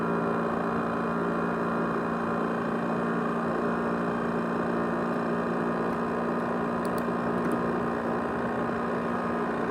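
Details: ASUS X543UA laptop with 500GB USB hard drive: steady, loud whooshing jet-like roar with faint whistling tones, far louder than normal; loud roaring noise, cause unknown.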